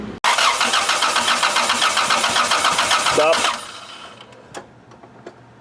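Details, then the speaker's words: OBD2A (1996–99) Honda engine with the crank sensor bypassed and fuel present: the starter spins the engine at an even, brisk pace, roughly four beats a second, with no firing, then stops; it cranks but gets no spark. "bypass the crank we're getting fuel car cranks over but just no spark"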